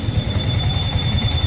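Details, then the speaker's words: Sniper 155R idling with a thin, steady cricket-like high chirp over the low pulsing engine; the owner says it sounds like crickets; points to the water pump seal, impeller and impeller bearing needing replacement together. "Yan, oh. Ganda ang tunog. Alam mo yung ano, yung nasa gubat ka tapos merong nagpapump ng tubig. Yan, tunog kuliglig daw, sabi ng may-ari."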